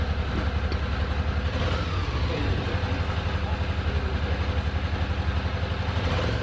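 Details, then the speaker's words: Ducati Monster 800, revived after four years dormant with a new fuel pump and battery: a lumpy, uneven idle chugging on one cylinder. The second cylinder kicks in only when revved, with cause unclear. "It lives. But it sounds like it's chugging on one cylinder. So I'm just feeling the exhaust to see if the front one is the one that's actually running."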